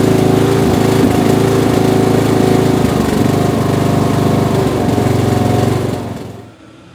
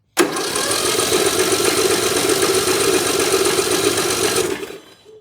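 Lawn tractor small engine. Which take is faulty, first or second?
second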